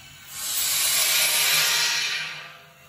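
A smooth, high hiss swells in over half a second, holds, then fades as the line fills; the valve is opening normally.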